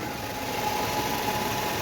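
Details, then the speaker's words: Steady, even Nissan Sentra engine idle with a faint constant tone and no knocks, rattles or vibration after replacing the belt, the worn belt tensioner with its weakened spring, and its bad bearing: normal idle. "no están las vibraciones ya si vibraciones en un sensor Amigo ya hay problema no debe Por qué tener vibraciones o brincoteo nada por el estilo"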